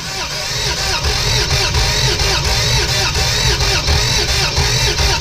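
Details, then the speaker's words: Barn-find Toyota FJ62, 291k miles, parked 10 years: steady, uneven cranking at about four beats a second with no firing; no compression in rear three cylinders because the rocker shaft was seized, freed up with PB Blaster. "i think the reason it had no compression in the rear three cylinders was the rocker shaft was seized"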